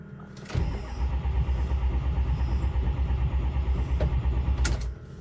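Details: Ford 6.0 diesel, cranking with a borrowed scan tool after a key-off computer reset; an old hub was fitted temporarily. A steady low starter chug for about four seconds stops without the engine firing. Crank, no start. The cause is unconfirmed, and loose connections and bent pins are to be checked next.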